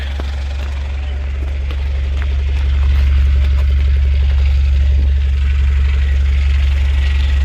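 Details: Citroen Berlingo after a new down pipe and exhaust were fitted, heard at the rear back box during a leak check; smooth, even low rumble at steady idle, no puffing or ticking, no gases escaping.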